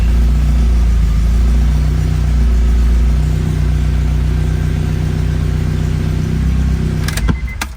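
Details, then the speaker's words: Honda DC2 Integra with K24 engine swap, coolant bled, oil and transmission fluid filled, alternator signal not yet wired: starts and settles from fast idle into a smooth, regular idle, no knocks or misses; normal running, oil pressure present. "It starts up, it sounds good. So just to verify that, nice."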